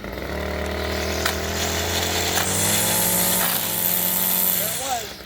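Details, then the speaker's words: String trimmer after cleaning dirt out of the bump-feed head: revs steadily, a tap briefly drops the note, then line rattles out and is cut off at the guard; feed now working normally. "You can hear it come out and then cut the string off."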